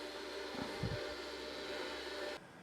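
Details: 40-year-old hard drive in an IBM 5161 expansion unit on an IBM PC 5150, microphone close to the drive: steady loud whirring hum with hissy top end, cutting off sharply near the end; abnormally loud spindle noise.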